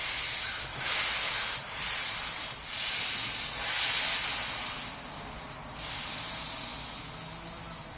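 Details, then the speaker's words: Husky C303H compressor, tank at 175 psi with the regulator reading about 140, after unsticking the stuck regulator valve: steady high hiss bleeding off in short stages that stop cleanly between steps, with no leaking. The regulator relieves pressure normally. "And I'm stopping partway down to make sure it's not leaking air other than when I'm relieving the pressure on the hose. Seems to be working fine."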